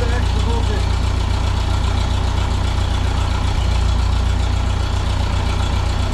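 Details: 1951 Ferguson TO-30 tractor: steady, even low thump at idle with no skips or knocks; settles and idles cleanly.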